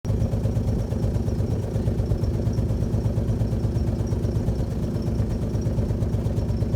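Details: Alfa Romeo GTV V6 started after months parked: idles with a lumpy, uneven low throb and irregular beat; running rough, possible misfire suspected, cause not found.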